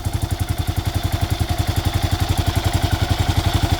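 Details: Kawasaki KLR650 single, warmed up (the tick is quieter cold), previously run without oil, new head fitted: a light, sharp top-end tick in step with firing, which comes and goes; blamed on the KACR compression release system.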